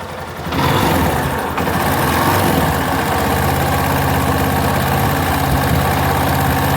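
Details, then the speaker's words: Yamaha Fazer 250, engine hot at idle (silent when cold): loose uneven metallic chatter over the engine beat, typical of a worn cam chain tensioner letting the chain slap. "essa motocicleta quando fria ela não faz barulho então o que nós já conhecemos ela antes de começar o vídeo ela já está com o motor aqui bem quente e ela começou a fazer barulho"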